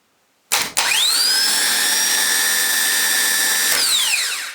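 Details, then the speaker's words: Mercury boat engine starter motor bench-tested after sinking, cleaned, regreased and fitted with a replacement solenoid; clean high whine spins up fast, a bit jumpy, holds steady and winds down smoothly, running freely. "Well, it's a bit jumpy, isn't it? Well, that sounds alright to me. What do you reckon?"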